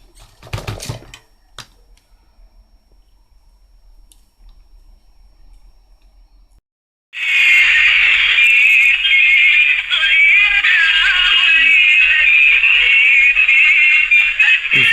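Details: Imitation National/Panasonic pocket radio after fitting a replacement speaker: after a quiet start it plays loud and steady, bright and tinny but clean, with no crackle or buzz.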